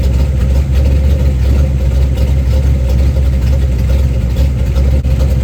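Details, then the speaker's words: 1990 Lincoln Town Car with 5.0 V8 on a 650 Holley carb, Torker 289 intake, GT40 heads, Cam Chowder cam, BBK long tubes and MSD ignition, first fire after the build; smooth even idle with steady low rumble, no knocks or misses; runs better than expected. "well I'm going to call that a success I mean honestly it sounds a lot better runs a lot better than I thought it was going to so I'm actually pretty happy"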